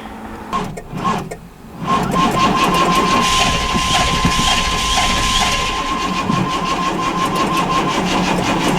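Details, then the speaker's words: Plow truck that had run on bad, rotten-smelling fuel, after a new fuel pump and fresh gas with carb cleaner, fuel pressure about 50 psi, 150 psi compression on some cylinders: steady starter whirr with chatter about four per second; owner suspects cap, plugs or gummed injectors; cranks but won't start. "So anyways, it still won't start. We got it on life support right here."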